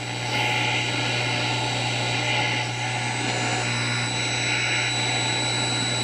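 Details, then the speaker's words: Motorola A11A radio after new parts installed, antenna connected by clip leads: only steady hiss with low mains hum, no stations received; cause unknown. "film not getting any stations at all kind of find that a little odd"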